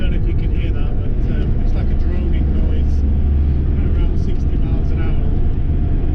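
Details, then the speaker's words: Ford Transit Mk7 front-wheel-drive van driving along, driver's side front wheel bearing rumbling for a couple of weeks; steady low droning rumble under road noise; worn front wheel bearing, replaced afterwards. "ou can hear the rumble on the bearing as we're driving along."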